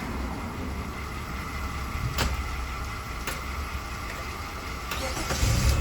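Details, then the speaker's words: 2005 Jeep Liberty 3.7L no-crank fault traced to no power at the ignition switch circuit while cranking; starter churns with a few sharp clicks, then the engine catches when the circuit is powered directly. "you see ignition is on the car start that means i don't have no power coming while you're cranking"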